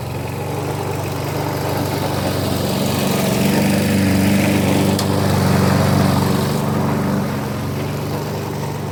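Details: Briggs and Stratton engine on a customer's 1988 Alco push mower (cut and drop, no collector), running after service with new blade; strong even buzzing drone holding steady under cutting load, no stumbling or surging, runs healthy.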